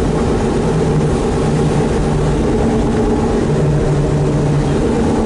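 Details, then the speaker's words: 4WD van driving straight with the 4WD not engaged: a steady, low drone and growl under the road roar, worsening with each trip and when turning. The owner suspects the front differential or transfer case, possibly low oil; the source is unconfirmed. "i think you can hear it pretty good now and this is just going straight"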